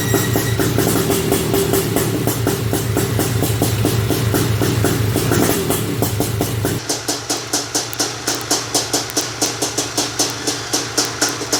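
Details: Honda TRX250R two-stroke, first start on OEM ignition, 38:1 premix: crackly engine revs hard then drops to steady popping idle about two beats a second, running on its own; pilot jet may still need adjustment.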